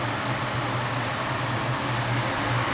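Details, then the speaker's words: Port-A-Cool Cyclone 2200 evaporative cooler after replacing its broken submersible pump, with water running through the media: steady, even fan rush with a smooth low hum and no rattles or pulsing, blowing cold air; normal operation. "the waters on it'll percolate through that and get this turned and on and cold air blows out of the back see it"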